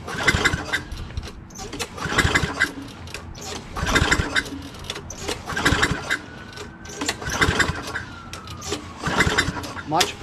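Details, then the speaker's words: Craftsman 6.75 Tecumseh lawn mower engine, curb find with oil sludge, after soaking about 15-20 minutes: even pull-over strokes with consistent compression and no binding, much smoother now; smooth pull-start compression. "let's see if this is smoother and you can hear like the engine sound oh much smoother now already you can hear it you know compressing"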